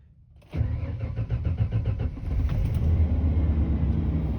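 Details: 1994 Ford F150 cold start after sitting all night at 40°F: a short crank, then it catches at once and settles into a steady, even idle, a clean healthy cold start.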